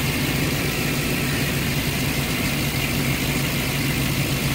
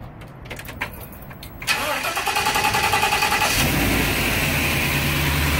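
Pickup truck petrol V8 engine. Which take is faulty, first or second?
first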